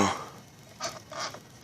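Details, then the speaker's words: DSM engine turned over by hand with engine off after a new harmonic balancer install: a short high squeak with each bit of rotation, engine feels harder to turn; also heard running at speed, source unconfirmed (owner ruled out spun rod bearing). "know if you heard that but it's like a squeak noise then right there"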